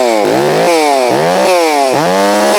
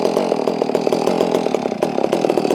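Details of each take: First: Holztfforma G660 chainsaw that had been losing power at top-end rpm, warmed up on a chilly morning: it bogs briefly into each cut, then holds a strong, steady pitch with slight four-cycling at the top and revs freely between cuts. It now stays in the cut, so power under load is normal. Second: Warm Holzfforma G660 chainsaw during low-speed screw adjustment: it runs with a ragged, crackling rhythm and uneven pops instead of a steady note; the low-speed mixture is still lean and needs more low end.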